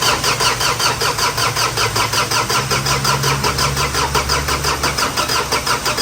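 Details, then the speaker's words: Ford Everest 2.5 diesel after engine repair for overheating and oil in the coolant (radiator replaced, injectors tested normal), first start: catches and settles into an even idle, about three steady pulses a second, clean clatter, quiet and normal. "เครื่องยนต์ติดแล้วนะฮะก่อนที่จะออกวิ่งทดสอบทดลองนะครับเสียงเครื่องยนต์เงียบกริ๊บ"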